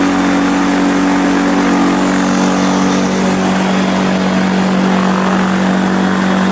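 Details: Quicksilver ultralight two-stroke with new 3-blade Warp Drive propeller, warmed up, full-throttle static ground run to about 6,200 RPM; steady high-revving howl with prop roar, tone even, pulling cleanly. Normal full-throttle run-up.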